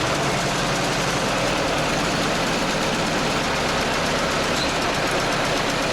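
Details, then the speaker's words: T-74 crawler tractor's diesel, started after clutch trouble when it bogged in a swamp: a steady run with a rough, uneven clatter. The cause is unknown, possibly something inside that got caught; the tank must come off to inspect the left-side hatch. "Слышите, какой-то звук нехороший, и в чем причина, может быть, я даже и не знаю, если честно."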